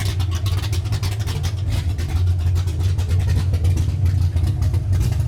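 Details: Freshly built 331 V8 in a Ford Ranger, first fire-up with a big "rowdy" cam. Loud, choppy, lumpy idle running super rich while the computer is still learning; rough rich idle.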